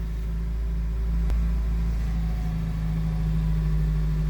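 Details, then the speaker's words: 2003 Honda CR-V that cranked but wouldn't start, running after replacing the blue fuel pump relay in the front passenger-side compartment: engine catches and settles into a steady, low, even idle with no stumble or misfire; normal idle, fixed. "so it's an uh it's an easy fix I thought it's gonna be a big problem but uh boom the car just started"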